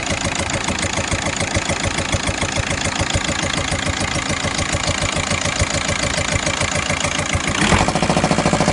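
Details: VW Golf 5 engine, hot or cold: steady, sharp knocking at idle, roughly three to four per second, that disappears after 2–3 minutes of running; cause unknown, owner asking for opinions; engine knocking at idle.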